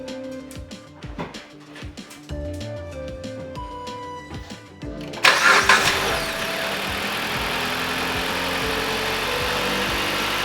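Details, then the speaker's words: 2018 Dodge Journey 2.4L after alternator replacement, microphone close to the engine: it cranks, catches and settles into a smooth, even idle with no whine or grinding, charging at 14.6–14.7 V; it sounds healthy. "Yes. Sounds way better."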